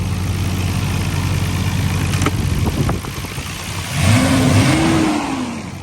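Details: Nissan R32 GTR after a new OEM fuel filter replaced a non-OEM one; steady even idle then a clean quick rev climbing and falling smoothly with no misses or knocks; engine healthy.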